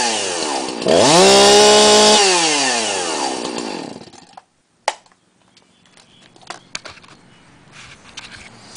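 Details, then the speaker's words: 2005 Husqvarna 346xp chainsaw (owner thinks possibly 2006), cold start with muffler totally cold: fires quickly, revs cleanly and settles smoothly; starts, runs and cuts normally, though it slings a trail of bar oil and leaks oil substantially, not from the cap. "as you can see or you could hear it starts up and runs just fine and you can see the trail of oil right there that it was slinging there's no problem cutting running starting everything like that"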